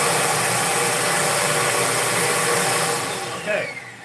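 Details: Hoover Spin Scrub, motor run on its own while tracing a noise: a steady, even hum with airy rush and no knocks or rattles, winding down smoothly; the earlier noise doesn't return. Normal motor run.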